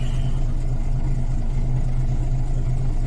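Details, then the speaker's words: Volvo B10M diesel idling after Bendix AD-2 air dryer rebuild, waiting for it to unload: smooth steady idle, no air hiss or tinkling leaks; air system tight and healthy. "No tinkling, no leaks."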